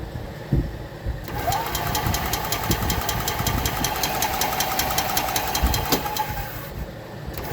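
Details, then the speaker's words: 2021 EZGO Express L4 EFI gas cart, crank-no-start: starter spins steadily with even compression pulses for about five seconds, never catches. No spark, no fuel; fuses good but no 12 V reaching coil or injector despite new ECU. "No spark. No fuel. Of course, you need 12 volt to get fuel. Fuses are good. Well, no voltage. So, I got voltage in here, but I'm not getting voltage to there."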